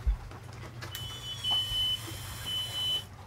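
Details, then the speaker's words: Volvo Penta fuel pump just installed, key on without cranking: a steady high beep pulses over a low pump hum. The sound changes as gasoline is drawn up. Normal priming, repeated five to ten times to fill the fuel cell. "so you can hear it pump that's one get right down there so you can hear the that's two three you may even hear the sound change where it's getting the draw of the gasoline up in there yep you can hear the sound change four five"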